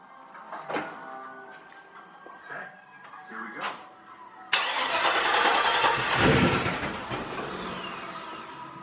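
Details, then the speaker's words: LS-swapped Suburban first start after fuel line and leak repair: quiet handling, then a gunshot-loud bang as the V8 fires, settling to rough uneven running; backfire on start, knock also noted, cause not confirmed. "this [ __ ] thing blew up right on my hand god damn it sound like a gunshot like right here"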